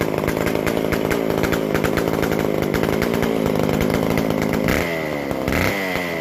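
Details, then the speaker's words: McCulloch Super Pro 125c chainsaw after cleaning, intake boot work, sealed base gasket and a modified new-old-stock muffler, on its fixed-jet carburetor with the mixture turned out slightly. It gives a crisp, rapid two-stroke crackle that revs and drops cleanly, loud from a muffler leak awaiting its gasket. Normal running. "She's running like a charm, and it's on that fixed jet carburetor. Turned out the mixture just a little bit, and just running wonderfully."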